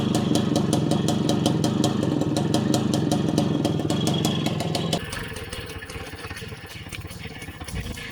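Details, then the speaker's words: Puch Maxi two-stroke moped, one-owner, unused for years, main jet changed from 52 to 54 to cure bogging past half throttle: crisp, even buzz with exhaust pops, pulls away smoothly at full throttle; running normally. "and that made all the difference now it runs perfectly and you can give it full throttle no problems"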